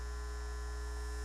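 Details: NAD 7020 stereo receiver, possibly from 1979, with a no-sound fault: as AC input rises to about 95–110 V a steady low mains hum with a buzzy edge and no program audio; audio returns at 90 V, suggesting a preamp fault.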